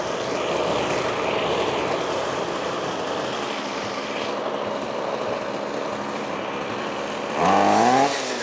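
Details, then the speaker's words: Trash-picked Ryobi 25cc two-stroke string trimmer after fuel lines fixed and primed: steady buzzing run, then clean rev-up without stumbling; running normally. "that ain't too bad I think that'll do just fine"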